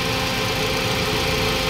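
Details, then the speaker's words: Toyota Vios 2NZ idling with PCV hose reattached: busy, unsettled idle lacking a clean steady rhythm; rough idle from vacuum leak at the brittle PCV valve hose at the intake manifold. "siya vacum problema niyan e hangin mga ganyan singaw yun nadiskubre natin mga boss na singaw lang pala yung hose ng kanyang parch valve doon sa puno ng intake manifold"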